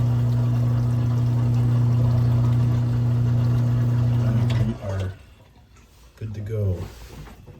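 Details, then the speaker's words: Samsung WA50M7450 top-load washer from 2017 with SC error, draining after being unplugged half an hour to power-cycle, before drain pump replacement: smooth steady low hum with water gurgling, then the pump cuts out with a slosh; drain pump running properly. "look at that look at that look at that you hear that that's water drain"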